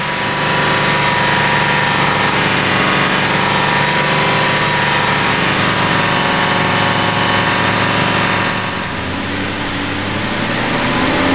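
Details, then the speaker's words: Aston Martin V8 Vantage at idle: steady thin, high-pitched squeal over a smooth V8 idle from the front of the engine, likely the belt drive, heard before fitting a modified pulley and new belt. "Okay, well, hopefully you could hear that clearly enough. It's like a high-pitched squeal that's"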